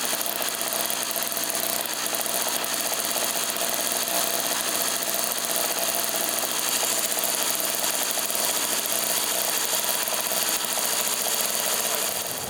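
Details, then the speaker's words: Craftsman 3hp 21-inch snowblower, Tecumseh two-stroke, after carb rebuild and service, restarted after cooling: high buzzy note holding steady at fast warm-up speed without misses or surges; runs clean. "yeah she running real good Fellas let's bring it in and finish it"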